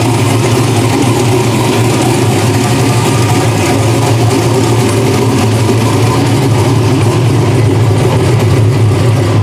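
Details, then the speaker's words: Drag race car engine after block swap, first fire-up: loud steady even drone, no misses, knocks or rattles, vitals good; healthy running. "As you guys saw, it runs, makes some noise again. You know, vitals look good and everything."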